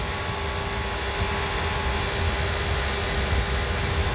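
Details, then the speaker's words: MG ZS EV on a warm day after a 144-mile motorway trip, heard under the bonnet near the motor and coolant pipework; the radiator cooling fan runs with a constant, even rushing whir and no rattle or scrape, working normally. "oh yeah the the fan is the fan on the radiator is is wearing away"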